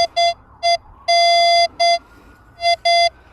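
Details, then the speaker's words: Nexus Standard MP V3 metal detector, minimal discrimination, audible threshold, VCO tone on, after positive ground balance: short, choppy mid-pitch beeps of uneven length breaking up as the coil sweeps, a broken low-tone iron target signal. "that should be Iron let's put the vcl tone on definitely iron"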